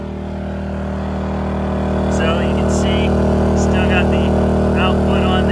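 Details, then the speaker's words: 2000-watt Harbor Freight Predator generator running a 2021 Lance 650 camper's air conditioner with compressor on, microwave off: steady hum climbing to a harder, louder held note, never stumbling or overloading; coping with heavy load, AC blowing cold. "didn't overload it pulled pretty hard but it's still running and it's running my air"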